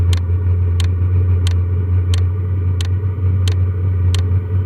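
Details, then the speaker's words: New portable diesel heater lit on level 5 of 6, still warming up: steady quiet rocket-like fan roar with a sharp fuel-pump tick about every two-thirds of a second; running normally. "She's going. It sounds like a rocket or something, like really quiet though."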